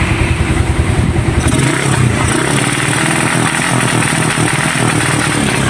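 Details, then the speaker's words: Raider 150 motorcycle with rapid backfire and no pull. Pulsing bursts as the revs cut out; the CDI had been converted to a Wave 125 4-pin unit. "oh paputolputol ang nakikita ko mga kulaog ay itong cdi niya kinonvert sa pang Wave 125 4 pin"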